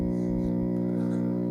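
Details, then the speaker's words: PreSonus FireStudio audio interface: steady buzzy mains hum on the left main output only, right output clean, controls have no effect. "okay none of these do okay it just hums all right so that's the issue it's humming on the left main output"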